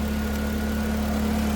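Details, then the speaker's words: Truck with fuel pressure at about 47–48 after the fuel cell leak fix: an even, steady idle with a faint constant whine and no misses or knocks; check engine light came from the IAT sensor; running mint. "But it's running. It's running mint"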